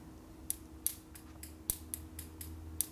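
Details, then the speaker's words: 1949 Harley-Davidson Panhead 74ci FL during a distributor rebuild and tune-up, with the plug laid on the head: sharp, uneven snapping ticks, about eight in three seconds, while the test light fails, possibly masked by the condenser; the plug is sparking. "Light's not working because the condenser's probably masking it so that I can hear the ignition popping."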